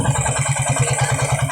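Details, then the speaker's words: Suzuki Raider 150 single-cylinder motorcycle after carburetor repair for misfiring, stalling and backfire: steady, even low-thump idle with no pops or misses. "ayos mga bro maganda na wala na siyang hindi na mabagpfire yan"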